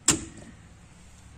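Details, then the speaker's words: Q'Straint QLK-150 electric wheelchair docking lock in a van, release button pressed: a single sharp click, then a fainter second click about 1.3 seconds later; the lock releasing normally. "the thing that clicked was that q strength down there so it's unlocked now and i can just pull her back just like that"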